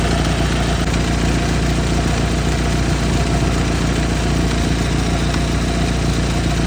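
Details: 1991 Ford Tempo/Topaz idling with a steady rough rumble and a faint constant whir from the belt side, pointing to a failing tensioner, idler pulley or water pump.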